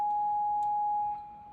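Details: Mid-1950s Crosley JT3 All-American Five radio on an isolation transformer, current limiter and variac, with a 0.005 µF couplet capacitor bypassed and a test signal injected at the volume pot input: a steady test tone with a buzzy edge. Audio output is distorted; cause suspected in the couplet.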